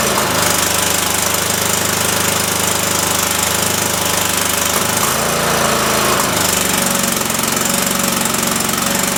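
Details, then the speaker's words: Cub Cadet mower engine after carb screw refit, PTO engaged spinning blades; steady at first, then the beat falters and sags twice before recovering unevenly. Owner suspects a leaking fuel solenoid sucking air or a bad coil; unconfirmed. "well crap all right back to the drawing board but the PTO does engage and spin the blaze I just got to figure out why this is uh not running right"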